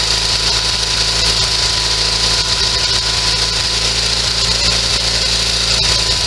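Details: Sears SS16 garden tractor with an Onan twin-cylinder engine revived after sitting several years, running off an auxiliary gas tank: steady, even drone at one speed with no misses or knocks, bright hiss over the low beat.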